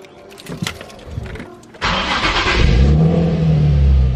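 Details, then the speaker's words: Nissan 350Z V6 after valve cover gasket replacement, with smoke still coming from one side: starts promptly after a few clicks and settles into a steady, even idle with no knocking or misfire. "So see, it turns on fine. This is how it used to turn on as well. and smoking will occur in a bit. Doesn't sound like anything's knocking, doesn't sound like anything's misfiring."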